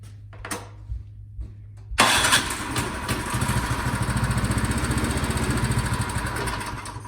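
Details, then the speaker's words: Craftsman snowblower with quiet-technology muffler, no-start after sitting all summer; spark confirmed, starting fluid sprayed into the cylinder. Quiet ticking, then it catches and runs a ragged, uneven putter; the carburetor/fuel supply is suspected, later found to be the carburetor. "i can verify that with some starting fluid i sprayed just a little bit in the top of the cylinder and put the spark plug back in and then we'll try to start it"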